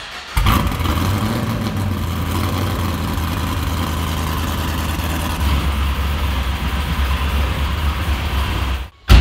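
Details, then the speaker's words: LS-powered Chevrolet Caprice PPV police car with a big cam, sat a few months: lumpy, loping idle with an uneven deep beat and stumble in the rhythm, one cylinder dead; misfire. "thing's got a gigantic cam it sounds very very radical but down on a cylinder sounds even crazier"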